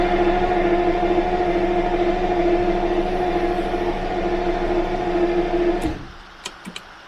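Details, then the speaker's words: Jaguar V12 after about a month and a half unused over winter: starter cranks at a steady, even rhythm for about six seconds but never fires; crank no-start despite spark and fuel smell, owner suspects something disconnected. "almost as if something is disconnected let's go and have a look at that I did a quick test off camera and it has spark I can smell fuel so really strange this car has never not started for me"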